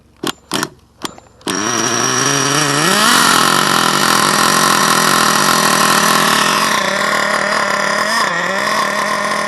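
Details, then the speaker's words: HPI Savage with HPI nitro 4.1 engine (S25) swapped back in, pull-started and warming: shrill buzz settling into a fast, slightly burbly idle; owner suspects it runs a little rich, possibly sucking air, earlier tank noise. "might be sucking some air or something Co yeah she might be a little rich but she's a little Rich guys let her warm"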